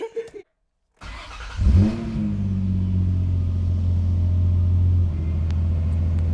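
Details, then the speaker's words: 2008 Nissan 350Z HR just after fitting a Z1 2.5-inch cold air intake, mass airflow sensors reconnected, throttle bodies cleaned, battery reconnected: cranks and catches, flares then settles to an even deep idle without hiss or stumble; normal start, checking for leaks. "I'm gonna turn the car on, start it up, see if there's any leaks anywhere."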